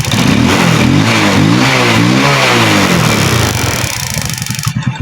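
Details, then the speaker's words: Rusi motorcycle, probably a 110, that had backfired and wouldn't start, with a wet, rusted high-tension wire and rusty plug cap found: small single revs up and settles with a crisp even beat, no backfire or misfire; running properly. "So, okay na yung motor ni boss."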